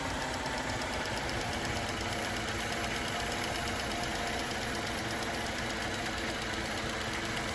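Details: Cadillac CTS with about 100,000 miles on replacement engine (previous motor had bad, loud-ticking lifters): steady, even idle, smooth hum, no ticking or tapping; sounds healthy, though dipstick later showed no oil.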